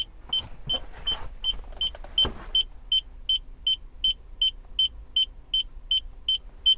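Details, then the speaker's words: Mercedes CLK 220 that won't start, reverse lights stuck on; crisp high warning beeps about three per second in a quiet cabin while the car reads reverse, fault cause not yet found. "What the hell is that beating?"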